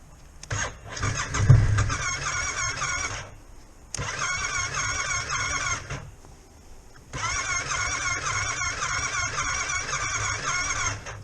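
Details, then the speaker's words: Yamaha Tracer 700, unridden for a while on a battery tender, with a dead battery and a possibly stuck starter button. Three long cranking bursts before it slowly fires. Hard starting. "Battery's dead. Well, that took a bit of getting going."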